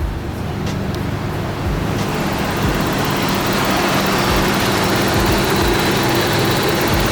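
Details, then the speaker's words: Nissan Cefiro A31 with a new OEM fuel pump, idling: lumpy, uneven idle with a stumbling low beat and visible shaking; bad misfire, cause not yet found. "so you can see right there the idols pretty whatever right now to be honest and then both we come back here you can hear it she's like blah blah blah blah blah"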